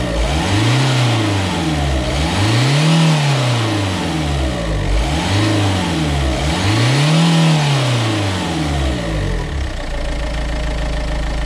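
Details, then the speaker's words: Renault Kangoo 1.5 dCi diesel after accessory belt change and oil change: two or three smooth throttle blips rising and falling cleanly, no squeal, slap or chatter; engine and belt drive healthy. "Je vais te mettre un ou deux coups de gaz pour que tu vois bien que je suis pas en train de t'ébaratiner, que c'est du costaud."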